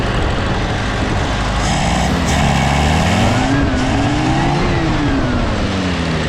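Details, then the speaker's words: M151A2 military Jeep in neutral after new spark plugs and thermostat housing: steady engine note climbing and falling smoothly with throttle blips, no misses or knocks; runs much better than before. "So it runs a lot better already."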